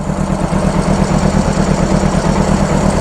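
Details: 1995 Honda CBR600F starting after sitting a very long time, WD40 in it, fuel pump doubtful; steady, even idle burble with consistent low pulse and no knocks or misses, some leaking seen.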